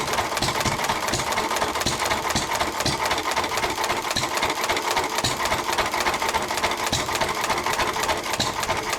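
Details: 1923 3.5 hp Emu (rebadged Hercules) engine, idle 20+ years, after oiling the sticking magneto and exhaust-valve mechanism: sharp, irregularly spaced hit-and-miss firing pops with coasting gaps; it runs steadily and pretty well.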